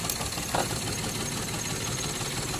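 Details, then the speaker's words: Perodua Viva with strong engine shake and rpm hunting when the aircon is on: slightly uneven, shaky idle, and unplugging the second ignition coil makes no difference, so that coil has failed and is causing the misfire. "so secara otomatik koil yang keduanya sudah rusak"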